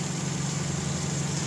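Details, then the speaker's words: Car AC compressor after clutch and pulley replacement set to 0.3–0.6 mm air gap: steady, even engine idle with compressor engaged, solid clutch click, no rattle or grinding; old clutch had cracked, broken plate causing noise. "then dapat naririnig niyo yung lagitik na yun oh para siyang ano yung solid ba yung tunog niya yung talagang gumaganyan oh"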